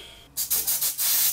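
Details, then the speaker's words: Old propane heater hose unthreaded and blown through with air: short bursts of strong, clean air hiss pass straight through with no sputter or choking; hose is open and good. "Oh, she's free. Yep, she's blowing, so that hose is good."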